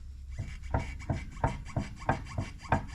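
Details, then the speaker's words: Scat Pack-swapped Dodge Magnum on a lift, rear differential leaking oil: loose knocking clunks about three per second as the driveline is rocked by hand. Excessive differential backlash, far looser than a good Scat Pack diff. "comparing it to the Magnum outside with a Scat Pack differential way tighter you can tell that you can hear the difference"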